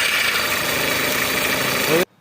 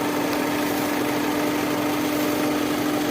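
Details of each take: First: Skoda Rapid (VW Vento): harsh hissing rattle with thin high whine from the front belt area, engine running; worn belt tensioner, fixed by replacing it. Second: Skoda Rapid (VW Vento) after belt tensioner replaced: steady even idle hum holding one pitch, no chirp, squeal or rattle from the belt; normal idle.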